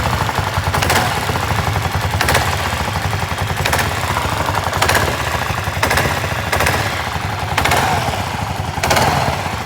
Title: Klr650 Engine knock noise, Is that normal?